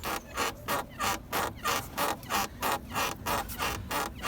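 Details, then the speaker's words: Renault Kangoo 2 front suspension creak: sharp rubbing squeak about three times a second with rocking, as the worn rubber spring insulator on the strut let metal rub on metal with sand and dirt; fixed with fresh grease. "Метал об метал, і ще тут пісочок, бруд попав. І воно ось такий звук давало."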